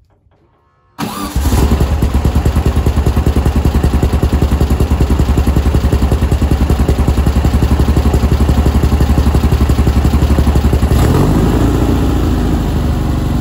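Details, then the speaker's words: Engine after fitting a CB Performance billet alternator pulley, belt now at its last shim adjustment and needing replacement: fires on the first turn, settles into a steady even idle with no belt squeal. "let me start it up see how it goes and just accept the fact that I need to get a new belt anyway"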